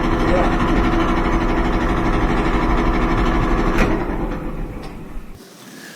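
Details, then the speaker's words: Kenmore dryer running loud: drum rumble with a steady thump about 2.5 times a second, then winding down; support roller wheels or belt-tension idler wheel suspected. "we have a Kenmore dryer that's making a lot of noise and we have to figure out what it is sounds like it might be one of the support roller wheels just four of the wheels there's also a little wheel called an idler wheel that is kind of helping keep tension on the belt"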